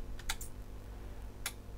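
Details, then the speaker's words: Panasonic SA-BT330 home theatre Blu-ray player with F61/F76 errors: two sharp relay clicks about a second apart over a faint hum as it keeps turning on and off; power cycling fault. "nice it's turning on and off again"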